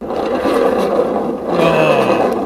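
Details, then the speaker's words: Honda Vision 50 scooter, cover back on with only the clutch fitted, rear wheel turned by hand: rough rising and falling rumble with a scrape, same as with the variomatic fitted; suspected worn clutch. "Ich drehe das Rad noch mal. Und du hast praktisch das gleiche Geräusch wie mit Variomatic."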